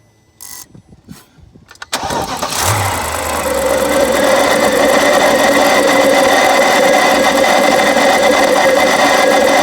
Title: BMW 7 Series E65 Cold Start Grinding Noise N62B44